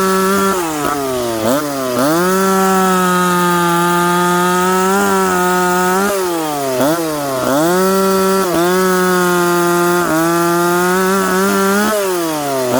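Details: McCulloch Pro Mac 850 chainsaw cutting oak after chain sharpened and rakers set, on a well-worn bar: high two-stroke wail sags in pitch each time it bites, then snaps back cleanly; pulling strong, normal cutting.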